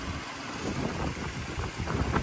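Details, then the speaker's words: 1985 Mercedes 500SEC Euro spec idling, needed jump start despite newer battery: low uneven idle swelling and sagging with shaking and rattle; rough idle, owner hopes spark plugs are the cause. "all right so you have this going on it's a little bit of shaking and rattling so that's uh something that needs attention spark plugs likely hopefully"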